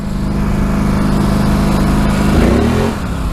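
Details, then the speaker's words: 2014 Polaris Scrambler 850 on a first ride in high range at under a quarter throttle: a deep, loud exhaust drone holds steady, then climbs in pitch as the throttle opens. The stock exhaust is loud but healthy. "first thing I kind of noticed is the exhaust is pretty loud for a stock exhaust I'm only about less than like a quarter throttle I don't want to be loud along the road but I'll show you guys it does get pretty loud"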